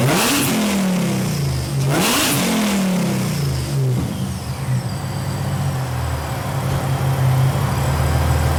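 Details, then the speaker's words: 2006 Mercedes SLK32 AMG, V_tech tune, 65mm supercharger pulley, new 92mm Hellcat throttle body, free revving in a garage: crisp revs climb and drop quickly with no stumble or miss, loud in enclosed space; sharp, healthy throttle response. "The throttle response on this is so like woo woo. Now granted, it is so loud."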